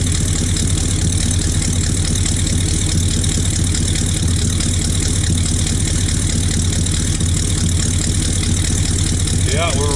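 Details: 1964 Buick Skylark after sitting about 6 months, started cold in colder weather with electric fuel pump: loud steady low rumble at cold idle with slightly uneven loping beat, running a little rich while warming up.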